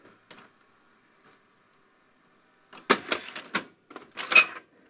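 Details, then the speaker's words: National Panasonic NV-7200 top-loading VHS VCR, generally working: pressing review or cue buttons gives sharp clicks and clacks in short bursts as the extra transport and pinch-roller solenoids pull in cleanly; normal solenoid operation. "you can hear there when we push the review or cue buttons various solenoids operating and I can see there's Parts moving down there"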